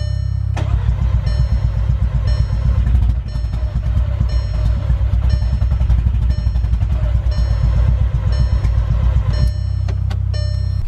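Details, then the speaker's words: MK6 Golf R on its first start attempt after reassembly: a long run of quick, even starter cranking that never catches or fires; the owner suspects the nearly empty fuel tank. "I wouldn't start but we're thinking that it's because of my fuel tank being nearly empty either it was like pretty much no fuel in there and even that's too much"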